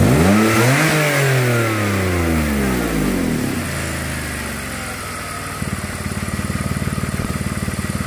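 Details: BMW 525i Touring: engine revs up and settles, then sharp regular puffing tick at idle, roughly four a second; intermittent exhaust leak that seems to appear and disappear, location unknown, cause suspected not confirmed.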